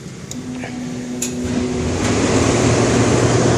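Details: 400,000 BTU forced-air space heater rigged for kerosene, burning red diesel with fuel pressure turned down, cold start with thermostat raised from 40 to 70: brief ticking, then a soft whoosh as the burner lights and the roar builds; normal ignition.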